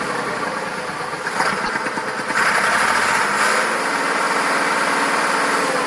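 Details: Massey Ferguson 2645 tractor, Perkins 6-cylinder diesel said rebuilt 100 hours ago, bad cold and warm starting: catches and settles into idle with uneven exhaust beats; suspected valve not closing, low compression in one or more cylinders, unconfirmed.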